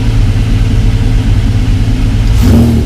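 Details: Mk1 VW Caddy with V6 4motion conversion, first start, no coolant yet: steady low idle, then a quick blip rising cleanly and dropping back smoothly; healthy even-running V6, normal free revving.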